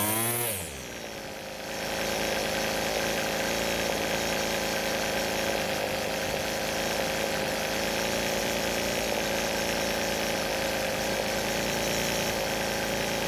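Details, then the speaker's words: Rebuilt string trimmer two-stroke, warm, pulling cleanly to a steady high buzzing rev with no surging or bogging; normal high-speed running, L screw later turned about an eighth counterclockwise to clean up idle. "so the engine is running really well but the only thing left now is to let the engine cool down and do a cold start"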